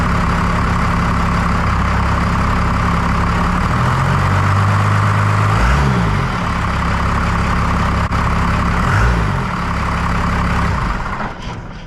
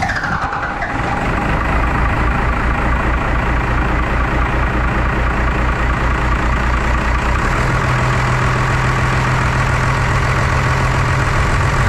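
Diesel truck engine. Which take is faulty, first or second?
second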